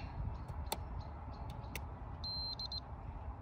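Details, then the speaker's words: Finding a parasitic battery drain on a 59-plate Mitsubishi L200 whose battery goes flat in about a week: the draw monitor shows about 400 mA against a 50 mA maximum. Short high beeps over low rumble as the amp probe's tone changes on one fuse, measured at about 50 mA. "okay so that one has a 50 milliamp drain on it so it's what it says about 500 uh which would tally up obviously this is nowhere near as accurate as this but we know we got a battery drain"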